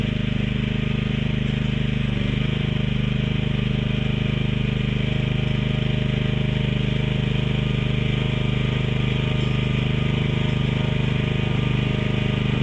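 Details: Mini excavator with pull start, repaired after being bought broken and then sitting about 3 weeks, oil and hydraulic fluid still to be checked; small single idling smoothly with even thumping at about two beats a second, no knocks or misses, running pretty good.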